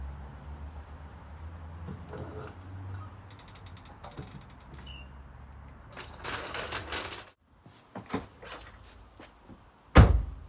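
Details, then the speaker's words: A single solid thud on shutting the boot of a Seat Leon, with no metallic rattle trailing after it. This follows the repair: the exhaust heat shield had dropped onto the backbox after its rusted clips failed, and replacement clips were fitted. "To finish, I'll lower the car down and test it by shutting the boot to make sure that it doesn't rattle."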